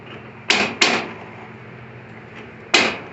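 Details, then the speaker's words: Old Craftsman riding mower, turning steering wheel: three sharp metallic clacks at uneven intervals, tires not turning; worn or broken steering shaft bushings let steering gear jump teeth. "What it's doing is the bushings that are in the steering shaft here are worn out or broken or gone, and that noise is the gear jumping over each other."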